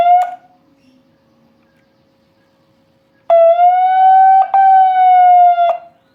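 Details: TOA ZR-2015S megaphone under repair for a dead microphone, lying face-down: clean siren tone climbs and holds about two seconds, then cuts off sharply from the blue siren button; siren works normally though the microphone gives no sound.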